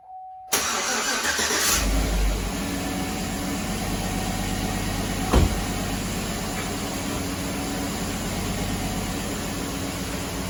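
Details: GM 5.3 V8 after repair work: starts and settles into idle with light fast lifter ticking over the rumble; lifter tick has returned.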